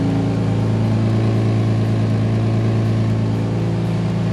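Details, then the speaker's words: Lexus IS300 after an exhaust rebuild with a stainless header and new mid-pipe, replacing a rusted stock exhaust and failed cat. Deep steady idle drone with an even pulse and a loud, throaty exhaust tone; normal, smooth idle. "wow it sounds like it has just some giant exhaust"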